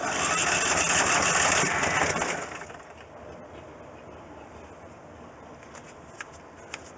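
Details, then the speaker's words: Rebuilt Briggs & Stratton engine on a Coleman Vantage 7000 generator, new gear fitted: catches and runs with a fast, even buzz for a couple of seconds, then goes quiet; a clean start. "but i'm glad that i got it to fire up like that that's exactly what i'm looking for that's exactly the sound i want to hear in a site that i want to see"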